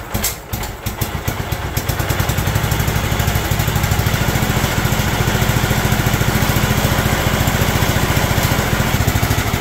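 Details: John Deere LT160 Automatic mower revived after years outside, with a "Harley idle", running from a fuel funnel: small single thumping evenly at fast idle, slightly lumpy but holding speed; healthy idle.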